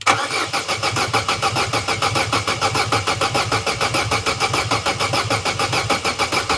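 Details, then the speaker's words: Corsa B that sat neglected 4-5 years, cranking after fitting a new battery: strong, even, healthy cranking at a steady rhythm, never catches or fires. Cranks but no start. "that's a good healthy turnover good healthy crank but no go we need the things that make it go"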